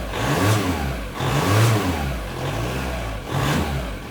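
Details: VW Caddy 1.9 SDi diesel with intermittent throttle loss, owner suspects dirty ECU and throttle position sensor contacts: picks up cleanly on each throttle blip and drops back smoothly; normal start and revving, fault not present now.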